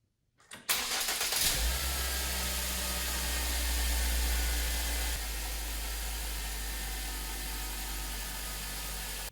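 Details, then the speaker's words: 2009 Ford Focus after serpentine belt replacement to cure a squeak that followed engine rotation on cold startup; quick crank catches cleanly into an even idle with no squeal or chirp, squeak completely gone. "it sounds like uh the squeaking noise we were hearing is completely gone"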